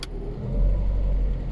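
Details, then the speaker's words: Lada Priora after gearbox repair (broken final-drive gear teeth that caused knocking in all gears, new clutch, new oil), on a lift, cold with high idle. Smooth even drone in 2nd, then 3rd and 4th, knock gone. Normal gearbox running. "обороты того звука нет ставим на 3 того звука нет на 4 нет того звука нет"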